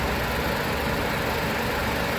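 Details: 2008 Nissan Sentra 2.0-litre four-cylinder, CVT, hood open, freshly changed oil: even, low hum with no knocks, ticks or rattles; normal clean idle.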